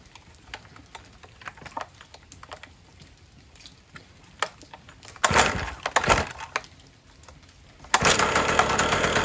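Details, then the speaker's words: 1980s Cruise N Carry two-stroke outboard, sat about 20 years, pull-started with fuel sprayed into the cylinder: quiet ticking, then sputtering bursts catching into a loud, rough buzz with smoke; brief run on primed fuel. "There we go. Ah. Nice. See that smoke? We got it. Oh yeah. All right. She's a runner."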